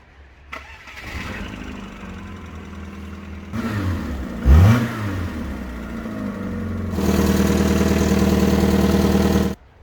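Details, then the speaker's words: Car engine idling: after it starts and settles, a loud breathy puffing chuff sounds over the idle, an exhaust leak at the flexi pipe that sounds blowy. "before that i need to get to the flexi pipe because listen to this"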